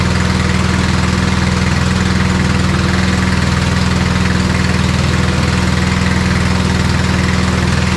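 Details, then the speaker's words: Old MTD Snowflite 826 snowblower, 8 hp, 26-inch cut, electric start, carb good, choke off after warming, blowing snow: steady, even single-cylinder drone with no surging, misses or knocks; runs normally, throws less far than newer ones. "okay she works pretty good the old ones don't throw as far as the new ones it does work pretty good though"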